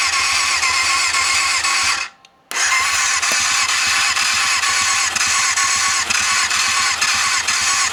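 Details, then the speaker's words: Yamaha FZR400 revival after carb rebuild kit, new No. 4 carb and battery. Tank off, a syringe of fuel, starter solenoid bridged: fires after a short gap, then a fast even crackle and clean revs, no misfires. Healthy start. "Yeah. She sounds healthy."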